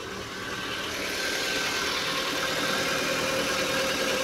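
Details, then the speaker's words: Proton Persona 1.6 VVT, five years in use, loud noise in the mornings: harsh busy clatter with a fast tick over a steady idle that never smooths; agent would suggest top overhaul, owner wants level one and two checks first; cause unconfirmed. "Eh, dengar bunyi kasar. Kalau dia pergi agent, dia cakap mau top overhaul."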